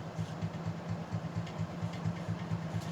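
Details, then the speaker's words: Plantation Fan Company ceiling fan with universal motor on high speed: a low hum with a steady rattle about twice a second from the loose stationary shaft. "you can hear that stationary shaft rattling though f 25 it's annoying me"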